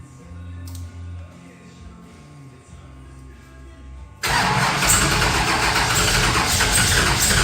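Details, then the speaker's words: Henry J with Sniper EFI, replaced HEI module, first starts: quiet then loud rough catch struggling to settle, fuel spitting from the throttle body; hard start, suspected slightly flooded. "Uh sounds like it wants to run. Fuel's jumping out of that smack break. Is it really? Yeah, jumping up out of it. Okay, we may have her slightly flooded."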